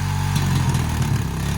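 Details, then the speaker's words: Crash-damaged Honda 350cc 4x4 Fourtrax quad bike, started on fresh petrol, warming up: low, steady idle thrum with an even beat and no knocks or misses; engine sounds perfect. "that's probably really really loud on camera actually sounds perfect hopefully that's not too loud down the camera"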